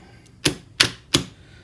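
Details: Star/delta forward/reverse starter on an FX5U PLC, after resetting the hardwired X11 interlock that cuts the relay commons: four crisp, sharp clacks about a third of a second apart in a quiet panel; contactors pulling in cleanly again.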